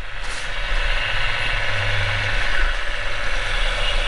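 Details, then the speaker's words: Refurbished drill press motor run on the bench after a bearing replacement: steady, smooth, quiet low hum with no rumble, grinding or rattle, and the centrifugal secondary switch cutting out; the old bearings caused the earlier noise; normal motor run. "nice and quiet so it was those bearings that were making the noise in the beginning okay and you can hear the secondary switch cut out there as the centrifuge comes back in brilliant it's working"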